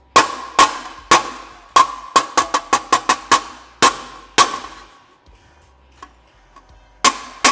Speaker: There It Is hear that Sol yep that's it that's what I want when I'm on Dolly